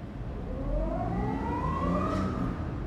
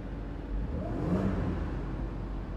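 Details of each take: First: Audi Q7 petrol engine revving with a rough, uneven pulse, check engine light blinking; misfire in cylinders 4-5-6 from a faulty ignition coil, fix by finding and replacing the bad coil. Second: Audi Q7 after fixing a cylinder 4-5-6 misfire by replacing the faulty ignition coil, supercharger reinstalled: engine revs up smoothly and settles back evenly, no stumble, misfire or check-engine blinking; running healthy.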